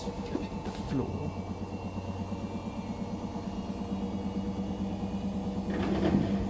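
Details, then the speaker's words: Indesit BWE101683 washing machine on a spin-and-drain after a 1000 rpm push-and-wash cycle: steady motor hum with rhythmic thumping about three times a second. The machine is rocking in an unbalanced spin because the floor beneath it is uneven and the flooring has come out of its slot. "oh slightly unbalanced but as i said the washing machine shaking because the floor is uneven again"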